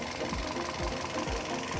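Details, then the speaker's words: Toyota Yaris (Bakpao) coil check: lifting this ignition coil gives a sharp, regular tik-tik spark, about two a second, and the rough idle shakes harder, so this coil fires normally, unlike the dead coil on cylinder 2. "Nah kan ketika kita angkat timbul percikan api tik tik tik tik tik tik tik kemudian mesin juga lebih bergetar jadi ini koil normal kita masukkan lagi aja"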